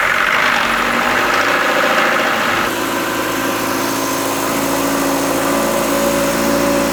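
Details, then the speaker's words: Wrecked 2022 Subaru BRZ being rebuilt, first engine start after repairs, run without a radiator so it cannot reach operating temperature. It catches and settles into a smooth, even idle with no knocking or ticking; a normal idle, with leaks still to be checked. "so far sounds good uh but guys have to check if there no leaks or anything"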